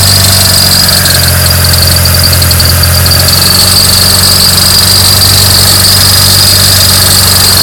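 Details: Mitsubishi Lancer Evolution 9 GSR engine running at higher rpm: high steady squeal over the rumble; suspected bad belt-driven pulley, idler or AC compressor, not confirmed; accessory drive squeal.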